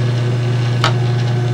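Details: Garage door opener with its safety sensors bypassed by a 555 timer pulse generator at 1 kHz: steady low motor hum with one brief click, even and unbroken; the opener runs normally and the door opens.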